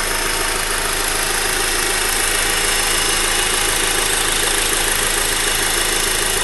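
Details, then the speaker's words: Honda Accord direct-injection engine with timing chain, hood open, sound from the engine block: fast, even ticking about three per second over a steady, almost diesel-like idle; normal injector and pump clatter, engine healthy. "I'm not sure this is the normal sounding that's supposed to come from the engine, but it's just like clicky noise. It's coming from the engine block, it sounds like."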